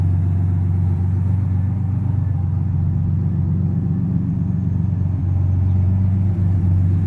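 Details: 1986 Pontiac Fiero GT, first start after about five years stored: deep steady idle rumble slowly easing lower as engine warms after cold start, no clear knock; high idle still settling.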